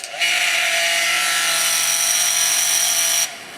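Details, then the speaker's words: Household hair dryer running on low: loud harsh buzzy rattle over the steady rush of air, sounds like a motorcycle; owner suspects the motor bearing just needs a drop of grease. "sounds like a motorcycle. But that's not how it's supposed to sound, so I'll try to fix this up. Probably the bearing just needs a little drop of grease."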